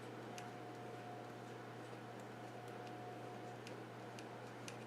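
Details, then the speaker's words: Kenwood TS-440 transceiver in test mode after solder reflow of display and control boards (display stuck on all 8s): sharp relay clicks from the rear every half second to second over quiet hum; relay steps through self-test correctly. "Oh, okay, now you have to listen for that one. A relay in the back."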